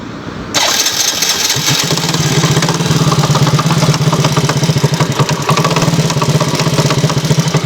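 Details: Yamaha T115 Crypton motorcycle after five months of use: catches and idles roughly with a dull, dry irregular knock on every beat; piston slap, later found with cylinder head not lubricating and welded parts.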